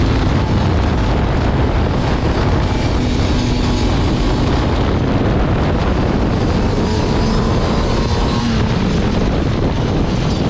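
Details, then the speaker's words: Liquifire two-stroke snowmobile at 20°F, which had bogged from quarter throttle up, after the choke plungers were turned 1.5 turns to set 0.030 in: climbs smoothly and holds an even pitch through throttle with no stumble or bog; acceleration normal, bog seems fixed. "all right now that's definitely more like it's supposed to be I think we got her fixed"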